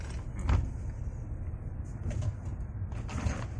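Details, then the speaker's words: 2013 Honda Brio after fix, road test on rough road: low road rumble and soft thumps, rear-left rattle gone. The knocking came from poorly secured rear camera installation wiring, with the shock mount rubber first suspected. "Ah, sudah bersih suaranya."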